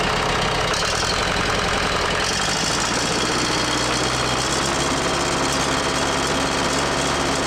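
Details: Case 430 skid steer, 4.5 FPT diesel, running badly after falling on its side, never ran great cold and hard-starting: loud high idle with hard irregular clatter and uneven, misfire-like beat; cause still unknown.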